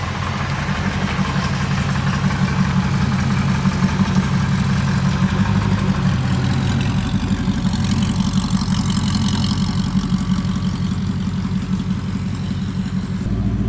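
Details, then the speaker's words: Porsche 928 V8, rebuilt by its owner, idling warm after changing from cheap oil to better oil. The idle is even and smooth with a low burble. The valve tick heard earlier by stethoscope, near cylinder 7 or 5, is completely gone. "a not a complicated thing to do I know but wow does that engine sound smoother before I had the tick tick tick tick all the time from one of the the valves"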